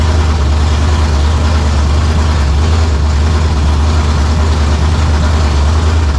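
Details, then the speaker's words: 1987 Saleen Mustang 347 V8 idling after zero-balancing and fitting a neutral-balance flywheel, no transmission or clutch, sitting only on motor mounts: deep, even idle with steady low drone, slight shake, much smoother than before. "That's the best it's been so far. It's going to have a little shake cuz the motor is going to shake some."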